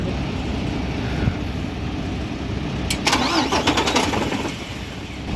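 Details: Mercedes Actros MP2 diesel truck engine with a hard-starting fault: it grinds over unevenly for about three seconds before catching raggedly. Hard starting, cause not stated.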